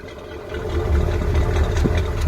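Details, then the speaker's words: 1986 Ford F250 460ci 7.5L V8, recorded at the tailpipe: deep idle with uneven, lumpy beat, occasional dropped pulses and engine shake, so misfire at idle. Owner suspects the fuel filter or a tune-up (plugs, wires). "But you can hear we've got a little bit of a miss. It may just need a tune-up, you know, plugs, wires, the whole shebang."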